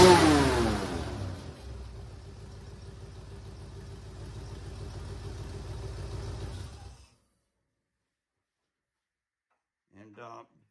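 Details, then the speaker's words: 1976 Mercury Monarch, 351 Windsor V8 with hydraulic flat-tappet cam (likely 252H) and C6 automatic; revs then settles into a raspy idle with a ticking puff from a blown exhaust manifold donut gasket on one side. "It's got a pretty bad exhaust leak on this side. That donut gasket down there is blown out, so here we go."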